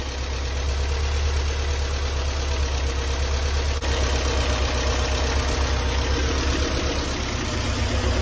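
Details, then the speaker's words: Flood-damaged Porsche 968 on first start after long sitting, following a fuel flush, still cold with good oil pressure. Steady idle with light fast ticking about four per second: noisy hydraulic lifters still filling with oil, expected to calm down. "these hydraulic lifters are still very noisy but they will calm down"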